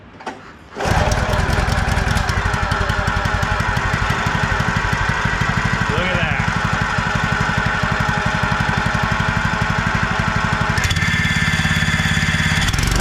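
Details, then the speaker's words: Wacker WP1550 plate compactor after repair and re-torquing: engine fires and plate settles into a steady, even thumping about three beats a second; running normally, clutch engaging, bearing with slight play may need attention later. "does exactly what it's supposed to. It's not how I planned on doing it. It is working."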